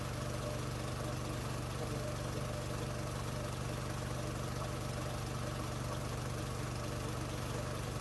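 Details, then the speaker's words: New MaxAir gas-powered air compressor filling its tank after assembly: steady, even engine drone with a smooth pump beat around three per second, no knocks, then cycles down at 150 PSI; healthy compressor operation. "Here in a second, you'll hear it cycle down. You just saw it cycle down there, so it's idling now because it's at the 150 mark of PSI there, as you can see there in the camera there."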